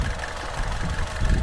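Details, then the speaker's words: Vauxhall Insignia 1.4 turbo petrol after turbo V-clamp leak fix and Pipercross air filter install, actuator replaced last year: steady low idle with no hiss, chuff or knock; sounds very good, normal idle. "Pretty sure it's all good. Sounds very good."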